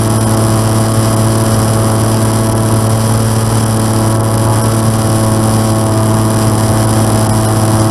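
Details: N735D aircraft engine at idle after spider replacement, at altitude, on approach and over the runway: steady drone with a rough, uneven pulse underneath; abnormal idle noise, cause unclear.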